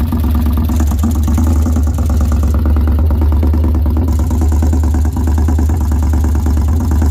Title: 2013 victory highball engine knock.